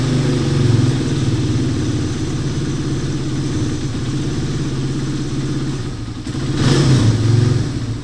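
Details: Motorcycle engine after timing chain and guide replacement, shimming and tensioner reset, fixing a noisy engine: even low-pitched idle with no clatter, then a clean rev rising and falling smoothly.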